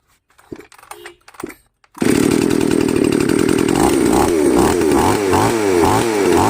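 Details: Model 5200 chainsaw that dies once hot, with a broken choke; carburettor L and H screws set to 1.5 turns. It fires after a couple of pulls and revs rough and uneven for a few seconds, then falters as if about to stall.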